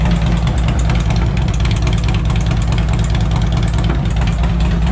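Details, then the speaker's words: 2007 Harley-Davidson Ultra Classic with replacement 103ci V-twin from a 2014 Dyna Street Bob (25k miles), OEM ECU tuned, about 30 miles after swap: loud, deep loping idle with steady potato beat, no ticks or knocks; healthy, runs like a top. "let's fire it up real quick it's kind of loud so I'll just fire it up for a second and then I'll rev it out thing runs like a top"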